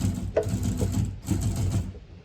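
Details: Remote-controlled FF6 flapper: low buzzing whir with quick rattling pulses for about two seconds, then stops; motor cycling normally.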